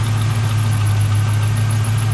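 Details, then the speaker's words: Camaro SS V8, automatic, idling while warming up after fixing a new-radiator coolant leak: steady low rumble with a thin high chirp pulsing from the belt pulleys; cause still unknown. "Runs like a champ though. Alright. You hear my pulley up there."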